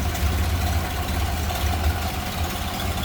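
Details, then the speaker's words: 1929 Ford Model A Roadster four-cylinder idling with the hood open, engine bay view: low even steady beat, no knocks or ticks; very smooth running, normal idle. "Very smooth running, nice clean engine bay"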